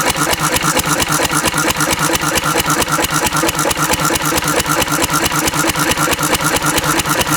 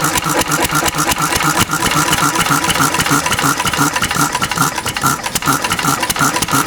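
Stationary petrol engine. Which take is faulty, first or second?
second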